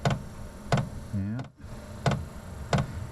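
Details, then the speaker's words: Diesel parking heater in a workshop at startup, set to high 10: sharp single clicks about 90 a minute from the pulse fuel pump feeding the burner, which is normal. "Now, the the uh the clicking you can hear is the uh the fuel pump has just come on there."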